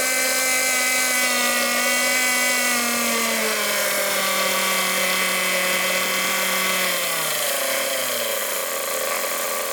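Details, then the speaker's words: Hangkai 6.0 two-stroke outboard, 2020, two seasons' use, on a test start after replacing a broken reed petal that made it sneeze into the carburettor and not start; high steady buzz, revs drop smoothly, running evenly; normal running. "Так, чеку поставил. Погнали. Так, признаки жизни есть."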